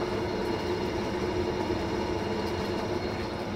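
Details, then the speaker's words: Fisher & Paykel direct-drive top-loader washer after replacing the main drive bearings (6005 2RS) and shaft seal: smooth steady spin hum with an even whirr, no rumble or grinding, recorded close up; much better. "I'm much better"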